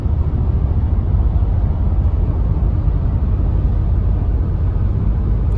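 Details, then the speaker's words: 2014 Honda Ridgeline, 48,000 miles, driving on the highway: loud deep rumble with rough, uneven thumping getting louder, with vibration and later steering wheel shake; rotor overheating from a sticking brake caliper. "You can hear like a thumping noise. So I'm going to shut up for a minute so you guys can hear. It's getting really bad, really loud."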